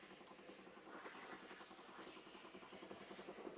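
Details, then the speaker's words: Handheld steam brush: a light clicking two to three times a second under the steam hiss as the pump draws water; normal operation. "can hear it sucking the water up. That's what that clicking noise is."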